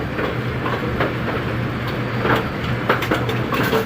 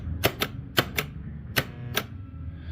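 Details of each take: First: A2 pinsetter retested after replacing twisted, tape-wrapped wire connections, running 19 pins: continuous mechanical clatter and rattling, no stray electrical clicking; normal healthy cycle. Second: A2 bowling pinsetter motor start relay/contactor on-off test after bending its spring-loaded middle reed: sharp clicks in on-off pairs, then a switch gets no release click; relay is sticking.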